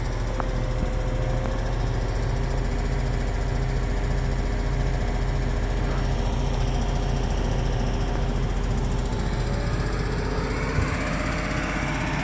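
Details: 2003 Range Rover HSE, 4.4L BMW M62TUB44 DOHC 32V V8, possibly slightly low on oil: steady even idle with a faint quick top-end tick over the low rumble; cause not pinned down, sound later went away on its own.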